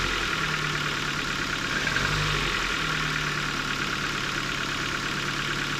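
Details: 2008 Ford Focus Mk2 1.6 Zetec petrol, about 170,000 km, 5W-30 oil, cold start after overnight, mic near engine: quick light clatter at idle lasting 2-3 minutes; owner suspects valves.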